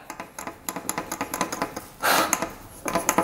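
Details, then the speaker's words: 1982 Yamaha YZ125 two-stroke dirt bike with zero compression, crank turned slowly by hand with spark plug in, engine not running; owner suspects crank bearing: sharp loose clacks each turn as the piston flops around in its bore; piston slap. "Pistons just flopping around in there oh man I I'm getting kind of mad now this is this is ridiculous"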